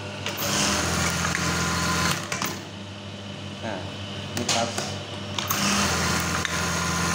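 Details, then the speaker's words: Brother 814 (made in Japan) buttonhole machine after the stop timing was readjusted: it cycles in quick even bursts with a steady whir and clean stops between stitches, running normally. "bunyinya juga kayaknya enak kapas ya untuk pengembangannya kalian bisa coba aja jadi jangan takut ya"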